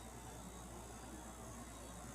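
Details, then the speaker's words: Fedders 7500 BTU window AC after its condenser coil was cleaned: a smooth, steady low compressor hum with an even airflow hiss and no rising drone. Before cleaning it got louder as head pressure built. Plenty of condenser airflow; normal compressor running. "But it's super smooth and quiet. There's plenty of air flowing through the condenser."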